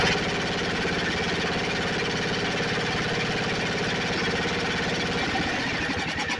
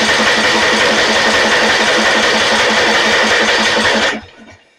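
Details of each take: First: Snapper 28" riding mower, 12.5 hp Briggs & Stratton single-cylinder, hard-starting: runs at steady even beat several seconds then winds down cleanly at shutoff, no misses. Owner tracing shorted wire causing shutoff; not key switch, seat switch disconnected, possibly defective. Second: Snapper 28" riding mower, 12.5 hp Briggs & Stratton, electric start, hard starting: even starter cranking about three beats a second for four seconds, no firing; cranking no start, plug test shows no spark.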